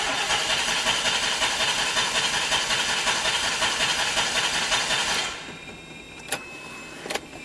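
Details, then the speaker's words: DeLorean that won't start cold, not losing prime quickly: a fast, even starter whirr for about five seconds that never catches, then a couple of clicks. Owner believes the fault is fuel related. "it just does not seem like it wants to work on a cold start it's not losing prime that quick"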